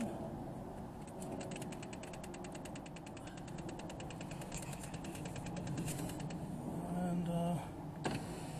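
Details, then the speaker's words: 2005–2011 Mercedes B200 W245 after master window switch replacement, tested before the door panel goes back on: a brief, smooth window motor hum at steady pitch with no grinding or clicking, so the window works normally. "okay. Everything seems to be working."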